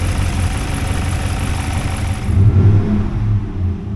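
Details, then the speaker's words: Freshly rebuilt GM 6.2 L86 V8, running 7-month-old gas, oil pressure reaching 80 psi on throttle, water temp rising: deep, even rumble with a brief rev swell, no knock or tick; healthy. "Sounds really good. Whoop. It's got old gas in it too. 7 month old gas, so."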